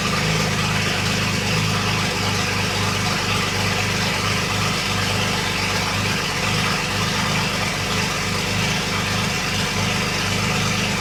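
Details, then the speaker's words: BMW 335i wagon swap, first start in new chassis: steady idle with even low pulse and some hiss on top, no knocking or stumbling; engine runs normally, though fault codes remain. "we did get it started and after so much work that we've put into it it is nice to hear it running in the new chassis"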